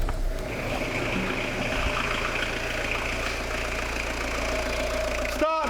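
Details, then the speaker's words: Citroen Dispatch/Jumpy diesel with engine and clutch just reinstalled: settles into a steady, even idle with no knocks, misses or smoke; normal idle. "sound good no smoke kind of it really oh okay right here we go"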